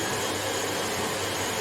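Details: Hoover HL500PT vacuum, ex-display listed as not working: suction motor runs but red light blinks and brush roll won't engage; steady airy motor roar with no beater-bar thrum; traced to safety microswitch not making contact.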